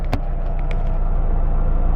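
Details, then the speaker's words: Mazdaspeed3, first start after replacing the OEM motor mounts with a CPE rear mount and JBR driver and passenger side mounts: a couple of sharp clicks, then a deep, even idle rumble with strong exhaust vibration felt in the cabin. Normal idle on stiff mounts. "bro this thing sounds insane you can literally feel the vibration of the exhaust in your butt cheeks bro like literally in your cheeks you can feel everything"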